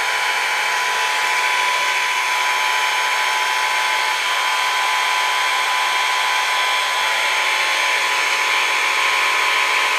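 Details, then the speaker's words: VEVOR 5-ton electric car jack lifting a 4x4 with 15.5 inches of clearance: steady high buzzing whir that shifts in tone at the end as it stops at maximum height; normal motor run, tire just off the ground. "you can hear a difference in the noise and it did stop at that height right there"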